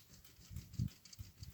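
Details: Lada Largus driven on a rough road: four or five dull low thuds at uneven intervals from the right front suspension, louder over potholes; cause unknown, stabilizer link replaced six months ago.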